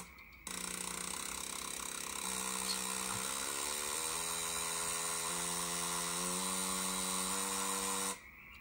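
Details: Bosch L-Jetronic injector from an Alfa Romeo GTV6 V6 on the workbench, simulated rpm rising while finding the rev limit (about 294.5 Hz): fine electric buzz steps up in pitch in stages; injector firing normally.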